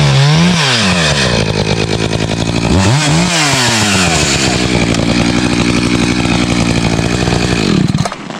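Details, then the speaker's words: New Echo CS-590 chainsaw during break-in: engine screams up, sags as the chain bites the log and holds a steady loaded burble; cuts well, tuned slightly rich on purpose for break-in. "You could probably hear that I was running a little on the rich side. I want it like that so it breaks in nice."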